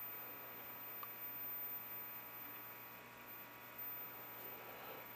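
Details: GE 810 vintage television on the bench after cabinet work, powered up drawing about 1.8 A, one weak tube found earlier: faint constant low hum from the speaker, no program, nothing on the CRT; mains hum, cause unknown.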